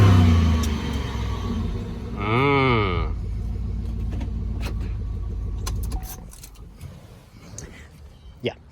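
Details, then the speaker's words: Cheap auction Impala SS with 213,727 miles, on a test drive around the block: engine revs flare and sag without the car pulling harder, over low road rumble; the automatic transmission is slipping under load, transmission toast. "So the transmission is toast in the cheap Impala SS."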